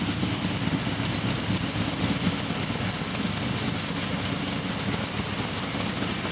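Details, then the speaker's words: Blown 355 Chevy small-block V8: Scat forged crank and rods, Dart aluminum heads, Comp solid roller cam, Weiand 6-71 blower, twin 600 Holley carbs; deep steady rumble with lumpy cam beat, no knocks or misses, idling around 900 rpm after restart. Normal idle. "sounds like a winner hope you liked it I do can't wait to get it in the rat rod"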